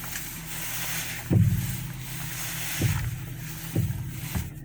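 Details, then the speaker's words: Irregular low clunks and pops when turning the steering wheel, from a bad bearing in the right front top strut mount. "This car has a bad strut mount on the right side in the front, and that's how it sounds."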